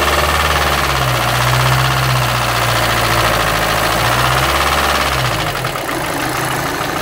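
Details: VW Amarok 2.0 diesel idling; steady fairly regular knock about three or four per second over the clatter; oil pressure checked, dropping when warm; cause unconfirmed; engine knock at idle.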